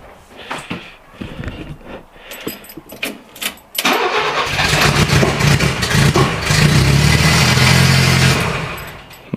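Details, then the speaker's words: Renault Trafic van started after 23 years unused, temporary homemade exhaust with open holes, no radiator fitted: engine cranks a few times, catches, then races high and steady instead of settling to normal idle. "j'aime pas quand ils s'emballent comme ça. Il y a pas de radiateur, il y a rien."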